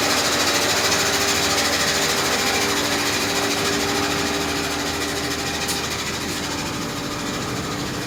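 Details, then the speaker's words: 2007 Chevy Equinox LT V6, 149,000 miles, noise from engine bay only when starting: fast, even mechanical chatter about three beats a second over a steady whirring hum; a bad starter suggested rather than the water pump. "so when they start only it's a strange noise coming around the engine bay so if anyone know anything about this noise let me know"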